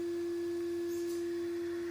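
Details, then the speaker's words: Traxxas TRX4 Defender crawler with a Hobbywing AXE 550 3300kv motor/ESC combo, running in high gear on an indoor test: a soft, steady mid-pitch hum from the ESC cooling fan; normal and quiet. "So as you can hear, it's very quiet. The slight humming sound that you can hear is from the fan,"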